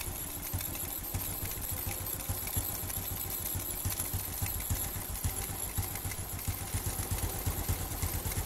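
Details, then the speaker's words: Carbureted Honda Revo Absolute/Blade after the air screw and idle screw were adjusted to cure heavy fuel use: a steady low putter with even firing and no misses or hunting. Normal idle. "Nah, ini udah pas. Oke, jadi seperti itu para brother semua cara setel karburator yang tadinya boros ya di motor Revo Absolute atau Honda Blade agar irit di bagian bensin atau BBM-nya."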